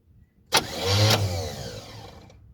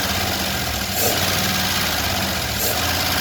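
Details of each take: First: 1977 Chevrolet Malibu Classic, about 102,000 miles shown: sharp cranking then a brief rising rumble fading within two seconds without catching; cranks but won't run, fuel then poured into carburetor bowl. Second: 1977 Chevrolet Malibu Classic, carbureted, started after fuel was poured into the carb bowl: catches and settles into an even idle with a soft, regular beat that only wavers slightly; normal idle.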